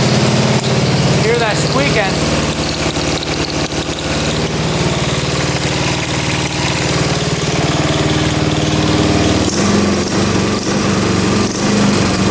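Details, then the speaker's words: Russian Dnepr military boxer twin sat 30 years in a barn, first run; slightly uneven idle with short, high chirping squeaks coming and going; owner unsure whether points area or elsewhere, source not found. "I don't know if it's the points area or what something's squeaking pretty bad I can't tell"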